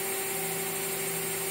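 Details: Water-cooled CNC spindle running at speed, recorded on a cell phone near the machine: smooth steady whine with soft hiss, quiet enough to talk over at normal voice; normal running.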